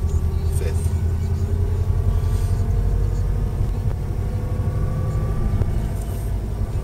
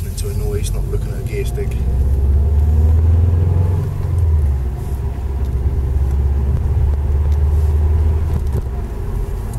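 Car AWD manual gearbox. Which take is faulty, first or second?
first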